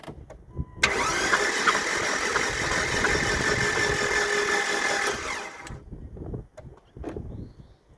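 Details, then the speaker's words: Jeep engine cranked with spark plugs removed, after sitting about an hour, before Bars Leaks head seal repair; owner suspects blown head gasket with overheating: fast even cranking with loud wet hiss, water spraying out of the cylinders. "All right, so let me crank this thing over. We'll see if it blows water all over the place."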